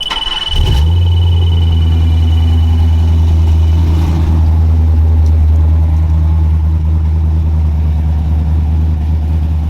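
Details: Black C10 LS-swap truck at its first fire-up with new injectors and fresh fuel: it catches and holds a steady idle with a deep droning hum over the rumble. The owner calls it a cam drone, cause still to be looked into; it still needs tuning.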